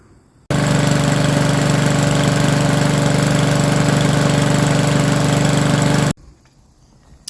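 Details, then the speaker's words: Craftsman mower with Powermore engine whose muffler had blown off, refitted on replacement studs with Loctite 222 and choke linkage fixed: steady, even run of about four pulses a second with no raspy exhaust bark. Normal running, loud exhaust fixed. "Well, there we have it. She doesn't sound too bad right now. So, our loud exhaust issue is taken care of with this little lawn mower right here."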